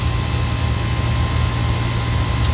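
A steady, even low hum with no knocking or straining from the compressor; the condenser is running smoothly.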